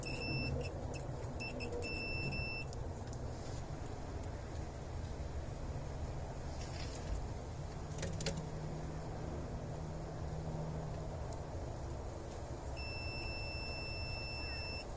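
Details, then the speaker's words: Bobcat 763 skid steer with flickering lap bar seat light, key on: sharp continuity tester beeps over steady hum while checking sensor-to-controller harness wires; each wire shows continuity, no breaks. "Alright, that one's good. That one's good. And that one's good."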